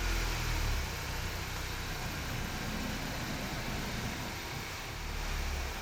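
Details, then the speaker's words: 2016 Honda CR-V driving: rough, hissy rear brake grinding over road rumble, pads worn metal-on-metal with rotor damage and uneven wear, caused by dirty un-lubricated guide pins, not a seized caliper. "The rear brakes have quite a grind to them."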